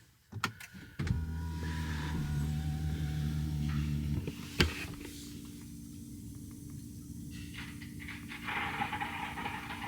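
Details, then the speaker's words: 2022 Ford 6.7 Powerstroke diesel, key in accessory mode after intake install: electric lift pump hums steadily with faint gurgling as trapped air works through the fuel lines during priming, fuel cycling through new Donaldson filter. "he a little gurgling going on we're just doing our priming of the fuel system"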